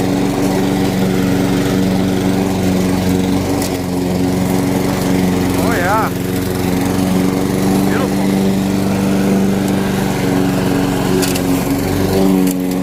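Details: Curb-found Weed Eater walk-behind mower, single-cylinder, flywheel key previously broken by a blade impact, mowing: steady buzzing pitch, no misses, surging or knocks; runs good.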